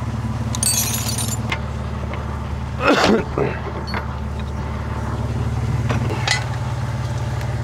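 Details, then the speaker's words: BMW E60 at idle, being checked for noise as it warms up because the gasket was suspected of burning: a low, steady burble with no ticking or puffing; normal idle. "vamos a ver si no hace ruido feo cuando caliente que es cuando suena mal porque imagino que estaría quemando la junta Eso espero voy a dejar un rato y ahora vemos bueno Esto suena bien"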